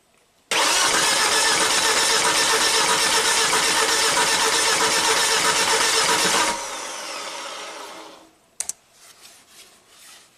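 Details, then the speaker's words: 2004 Volvo XC70 AWD turbo, 278k miles, no-start: cranked on the starter with a 265 PSI in-cylinder pressure transducer on one cylinder, about four even compression beats a second, no stumble; normal cranking, about 60 PSI peak. "pressure transducer is on just one channel 265 PSI transducer um we're at zero all we have to do is plug in these two and just spin it over"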